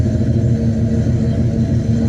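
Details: Box Chevy Caprice Brougham with Edelbrock carburetor, previously popping from exhaust; cause was the spark plug wires, no timing or carb screw adjustment; now a smooth, even idle with no popping or backfire.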